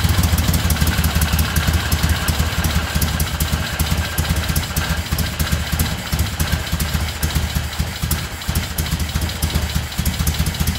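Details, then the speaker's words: 1975 Moto Guzzi twin after restoration, cold start at about 40 degrees on choke: steady, even, slightly lumpy idle beat with no ticking or knocking; vibration shook the mirrors loose. Normal idle. "That's pretty great. It vibrated those ugly mirrors loose, so I gotta tighten them back up."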